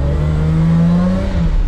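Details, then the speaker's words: Toyota Supra after the throttle linkage was bent about 2 cm to raise it, so the throttle now works; still no wideband or proper tune. Engine pitch climbs smoothly on a quick blip and drops back without stumble. Normal free revving. "Μάγκες, μόλις λειτουργήσε το γκάζι. Δείτε εδώ. Μόλις λειτουργήσε."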